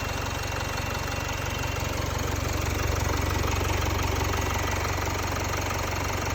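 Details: Jaguar XE 2.0 Ingenium diesel at idle after dealer timing chain replacement at 72,000 km: steady, even diesel clatter with smooth low drone, no rattle or chain slap; noise and vibration much improved, normal.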